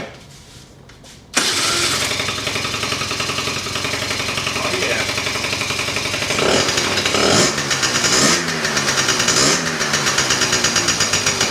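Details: 2004 Kymco Super 9s 50cc liquid-cooled two-stroke scooter, after sitting over a year, exhaust cleaned again: fires right up into a crisp, buzzy idle with a few clean throttle blips; running normally.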